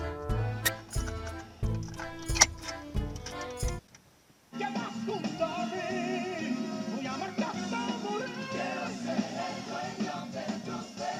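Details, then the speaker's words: Car radio cassette player after repair of fluttering, low, distorted sound, fault traced to the rubber on the tape-drive rotation cylinder, playing at volume 12; music plays at steady pitch and volume with no warble, dragging or dropouts, normal cassette playback. "12 पर है, यह बहुत अच्छा लगता है अच्छा है क्योंकि आपको सुनना है"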